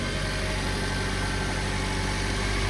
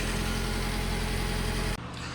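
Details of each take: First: Subaru Sambar small engine at idle on first startup after preventative maintenance rebuild (water pump, timing belt): light tinny buzz on the exhaust pulses from a heat shield underneath that isn't tied down, rattling. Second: Subaru Sambar engine, first startup after rebuild with new water pump, timing belt and seals: steady even idle, smooth low hum, water pump gurgling, a loose shield rattling, no knocks or misses; normal idle.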